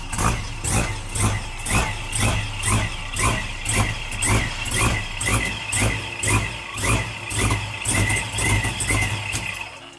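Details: V8 start-up, O2 sensors to be swapped for no reading: rhythmic idle swelling about twice a second, staying even with no misses; healthy running V8.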